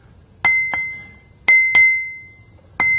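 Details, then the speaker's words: Ring test on a bench grinder wheel hung on a small support: six light taps about 45° either side of the centre line, each leaving a clear high fading ring, meaning a sound, uncracked wheel. "you can clearly hear the ring when we tap this wheel so it doesn't look like it has a crack"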